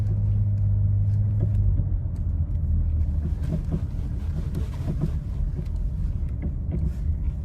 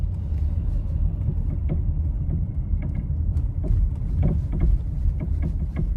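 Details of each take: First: Nissan Rogue just back from another shop with a replaced engine and no mileage on it; low road rumble with scattered sharp clunks over small bumps, traced to a sway bar link knock, likely left untightened. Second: Nissan Rogue with newly replaced engine, driven over the same bumps after fixing the sway bar link that wasn't tight against the strut: low steady road rumble, soft thumps only, no sharp front-end clunk; knocking noise gone.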